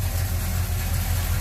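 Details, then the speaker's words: Chevrolet Monte Carlo cold start after fuel filter change and stiffer throttle return spring fitted: low, steady, even idle with a smooth rumble and no knocks or stumbles, already sounding better; normal idle. "boy it sounds like it's about to Sparky old self and that already sounds better"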